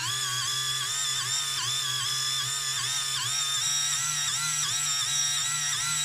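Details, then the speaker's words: InMoov robot shoulder servo after modification, greasing and ball bearings; high motor whine sagging in pitch every half second as screw heads, filed at base but not top piece, catch the housing and make the servo struggle. "so I think they're just catching on the top piece just in that they'll probably eventually just wear the plastic away and thought themselves Val I think we're just making the servo struggle a little bit you can kind of hear it more than you can see it"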